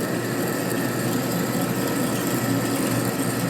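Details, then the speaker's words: Machining a part for a 1957 Harley panhead drag bike, feed set by a hand lever: a steady, even cutting hiss over a constant low hum with no chatter or squeal; a good feed rate, not protesting, with clean chips. "When it's cutting good, feed it in pretty good. When it starts protesting, slow down. So this is a good speed right here."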